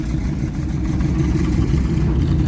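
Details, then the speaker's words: 1973 Dodge D200, 360 V8 automatic, sat 8 years, first run on a swapped-in Thermoquad carburetor and intake: low lumpy V8 idle that surges and wavers, running really rich and sporadic with belt and valve train noise; the Thermoquad keeps flooding. "running really rich and kind of a sporadic idol a lot of belt noise a lot of valve train noise what do you think go for it"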